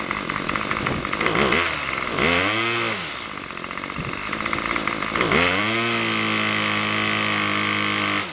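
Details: Craftsman Weedwacker gas trimmer, model 316.791191, MTD 27cc two-stroke with Zama C1U-P27 carburetor, after repair: crisp buzz revving cleanly twice, settling to a steady high idle near 2700 rpm, with no misfire. Owner suspects a rubber gasket needs replacing.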